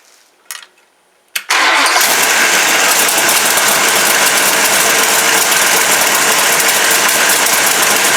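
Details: Dodge 440 big-block for a '69 Charger R/T on a test stand, about 45 minutes run, roller cam, lifters and rockers after two failed Comp Cams: a short crank, then an instant catch into a steady, even idle with no ticking or knocking. It runs cool with no leaks.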